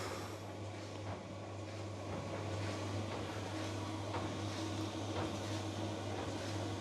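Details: Newer-model Electrolux 7kg clothes dryer after a drum belt replacement: an even low hum with a soft, steady tumble about three times a second and no squeal or scraping; the drum turns normally.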